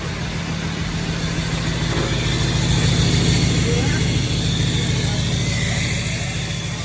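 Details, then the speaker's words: Long-abandoned Ford F550 diesel, first start after replacing the lift pump with a new aftermarket one: it fires right up to a deep, steady diesel clatter at an even idle with no stumbling or hunting. Normal idle. "So we decided to just switch it out and see what it do. And as you can hear, this thing fired right up. We're really happy about that."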